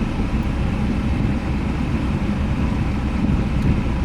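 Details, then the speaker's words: 2005 Jaguar X-Type after immobiliser relearn, restarted instantly with no warning lights: smooth, even low rumble with no knocks, misses or squeals; engine sounds tidy, normal idle. "Let's try that again. Instant. In fact, that engine sounds quite tidy."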